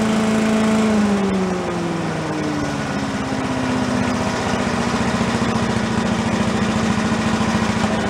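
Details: Yard-sale commercial walk-behind leaf blower, set down on the ground and run for a while to check smoking: revs drop from a high buzz to a steady, even idle of about three or four pops a second. Normal running.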